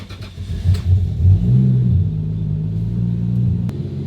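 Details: 1993 Toyota Supra RZ JZA80, 2JZ-GTE twin turbo, Blitz ECU, old plugs refitted after coil pack checks: idle rises unevenly with irregular lumpy beat, still stumbling from misfire; owner suspects fouled rear plugs or a bad coil pack.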